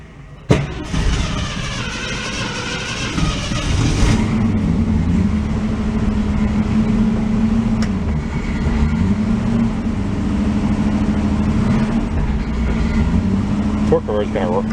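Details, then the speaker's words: 1966 Ford Mustang restored in the 1980s, stored since 2006, put in gear while chained up; rough mid-pitched engine note sagging and recovering, drive slipping in and out; smoking a little, accelerator pump leaking. "kind of going in and out. If you can hear it."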